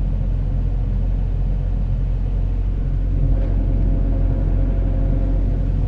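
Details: Komatsu PC70-8 excavator diesel after replacing the backup sensor, which had caused hard starting; deep steady rumble at even speed with no hunting or stumbling; normal running restored.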